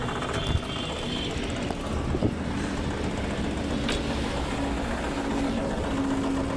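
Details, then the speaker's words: Maruti Suzuki WagonR K-series with blinking check engine light, oil consumption and one cylinder not working: rough, uneven stumbling idle with heavy engine vibration; misfire at idle, overheating suspected. "तो दोस्तों यहां देख सकते हैं गाड़ी का engine भी vibration कर रहा है बहुत [संगीत] ही बहुत ही बुरी तरीके से और इसका जो इंजन माउंटिंग है ये जो साउंड है इसकी वजह से आ रहा है क्योंकि देख सकते हैं इंजन कितनी बुरी तरीके से वाइब्रेशन कर रहा है और गाड़ी मिसिंग भी कर रही है"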